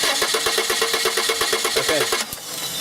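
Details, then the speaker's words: Car cranking with a test light on the coil-negative control wires: starter turns over at a steady three beats a second, never fires, then stops; no flicker or control on either coil, so no spark, coil not at fault. "okay no flicker no control on either coil and that means that this car does not need a coil what we need to address is why there's no negative control"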